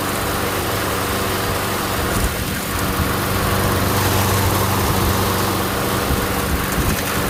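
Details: MTD Gold self-propelled mower with Briggs & Stratton Quantum engine, primed and started outdoors after pull-rope repair: steady, somewhat rough-edged putter with rattle, no misses; runs fine, self-propel intermittent, front wheels suspected.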